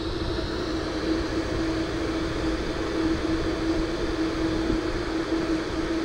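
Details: Dometic RTX 2000 RV air conditioner after replacing both condenser fans and troubleshooting the board fuse; steady, even mid-pitched hum with airy rush and no rattle or surging, so the fans run normally.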